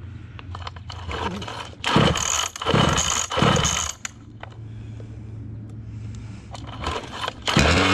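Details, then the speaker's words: Losi 5T RC car with 34cc Zenoah gas engine on a stand, choke on, pump gas: sputters and surges in uneven bursts, never settling into a clean run; running poorly, cause unknown. "sounded good when I bought it from boy but that is not it moment that is not it homie that's why I do"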